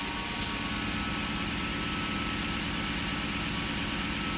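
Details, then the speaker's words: High-mileage Lexus SC400 after fixing the misfire (found oiled up), warning light still off after a couple of minutes: a steady, even idle with a low, smooth rumble and no misses, knocks or hunting. Normal idle. "Running smooth. But I'll wait like 5 more minutes."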